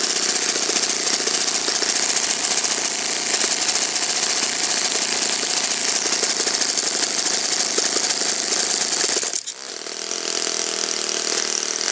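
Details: Saito FA-56 four-stroke glow engine, first run after teardown, cleaning and bearing replacement, 12x6 prop, OS F plug, Omega 5% fuel, tuning run: high even buzz nine seconds, brief cut, softer rerun; normal running.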